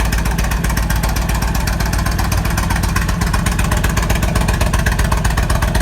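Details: 1998 Kawasaki Vulcan 1500 Classic V-twin, cold start after a couple days at about 50°F, steady lumpy low idle; previous rattle completely gone after case bearing and needle bearing repair.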